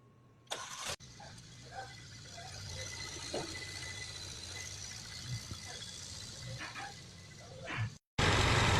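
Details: 2016 Mercedes CLA 250 4MATIC, crank-no-start from failed fuel pump, after fuel pump replacement and verified fuel pressure: quick crank, catches straight away, settles into quiet even idle; starts and runs normally.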